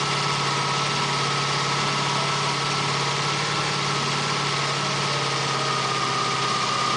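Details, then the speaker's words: 1987 Honda VF700C Magna V4 after cleaning the carbs, fitting 110 main jets, opening the airflow and removing the crankcase breather hose: smooth, even idle with no misses, knocks or rattles; carb sync not yet gauged. "I still could test it. It sounds pretty good."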